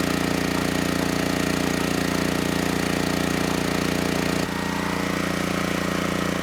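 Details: Generac GP6500E generator after repair of seized engine, warmed up, under load up to 6,000 W near max: steady constant-speed drone, note dipping slightly as load comes on then holding firm; held 121 V, just below 59 Hz, healthy.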